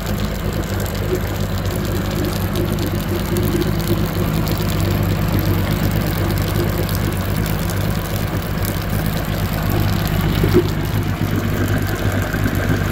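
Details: Evinrude G2 200 HP outboard idling after descaling with Rydlyme and clearing foreign objects that blocked cooling water and triggered code 25 EMM temperature fault. Smooth steady low rumble, even beat, no misses or knocks; normal idle.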